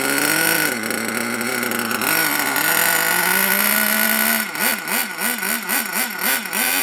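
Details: HPI Savage SS nitro RC engine, first run after years stored in a shed, warming up: high buzzing revs then settles to a fast idle with a slight rhythmic waver, staying running; normal idle, tick-over not yet tuned.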